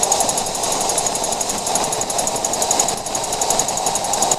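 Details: 2014 Jeep Wrangler JK with a rapid high-pitched clicking over tyre and road roar above 50 mph; the noise persists after both rear axles were replaced and the diff gears checked, and the source is not found.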